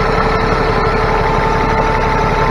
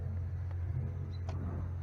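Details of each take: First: Cummins ISX heavy diesel truck after replacing timing and fueling actuators, fuel pump relay, Jake harness, cam sensor and oil pressure/temperature sensor to fix rough idle: steady, even, smooth idle, no misses or knocks; normal. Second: Cummins ISX heavy diesel, recently in-framed, idles roughly with a deep, uneven rumble that wavers; bad pressure sensor, timing/fueling actuators, cam sensor and an oil-filled fuel pump relay are being replaced.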